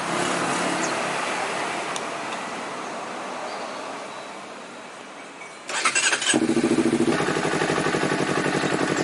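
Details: Honda CBR250RR twin that would not idle: cranks, catches, then idles unevenly with lumpy beat, rpm swinging between about 1000 and 3000–4000; O2 sensor and throttle errors found.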